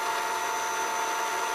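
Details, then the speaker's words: Funai FHC-1200 VCR, an older Shintom-built unit, fast-forwarding: a steady high squeal over the whirring motor, a dry motor needing lubrication. "Yeah, you're gonna hear the motor squealing. It needs to be lubricated. Wish I can somehow shut that thing up."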